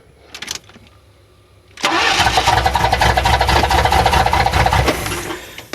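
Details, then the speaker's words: 1994 Chevy Astro van, first start of a remanufactured engine after turning the distributor rotor counterclockwise; it cranks briefly, then settles into a steady, even cold idle with no misses or knocks. "hey it runs all right yep yep yep yep success I love success all right well I know what I need to do now I know what I need to do starts nice"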